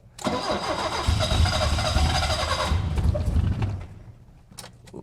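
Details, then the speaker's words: 1972 BMW 2002, twin carburetors, automatic, flooding condition, cranked without pumping gas then full throttle to clear flood: starter churns, catches into uneven, lumpy run about three seconds then sags away; carburetors excessively wet, overfueling suspected. "little more Let Me Go full throttle see if I can clear that clear that flood almost foreign well ran fell on his face now those cards are still excessively wet"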